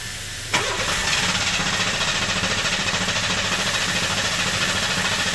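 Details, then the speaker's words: 1996 Buick Century 3.1L V6 (VIN M), warm, injector harness disconnected for relative compression test while cranking: even starter beat about three and a half pulses a second, no dropouts; consistent compression, owner believes it needs coils and injectors. "pretty consistent to me yeah I don't think it's a compression problem this thing needs coils and injectors"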